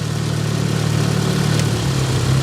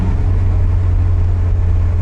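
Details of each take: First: Nissan 200SX S12 dual-coil engine idling on intake-side coil only: low, irregular stumbling idle, down at least one cylinder if not multiple, little boost; misfire. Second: Nissan 200SX (S12) old turbo engine on the road after ignition work, running smoothly with an even low rumble and no misses; good oil pressure, good vacuum, boost comes right up, though no power down low.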